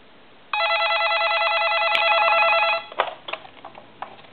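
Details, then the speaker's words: Radio Shack ET146 two-line telephone ringing after noisy line switches were repaired; clean electronic warble ring about two seconds, then handling clicks; ringer working properly. "fine and I'll try that one more time this is on the second line right now and I don't see any noise coming through the analyzer so the telephone is repaired"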